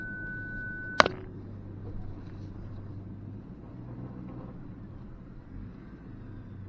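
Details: 2023 Ford Ranger Tremor off-road on a trail with brush: a steady high beep lasting about a second over quiet engine rumble, then cutting off; the parking sensors are picking up nearby branches, a normal warning.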